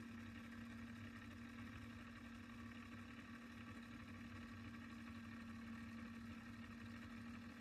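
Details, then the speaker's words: Sony TC-K777 cassette deck, restored (failed transistor replaced, reel motor adjustment fixed per service manual): final test winding tape to the end, steady even motor hum at one pitch, no dragging, pulling without effort; healthy. "You see, no efforts, pulling pretty well."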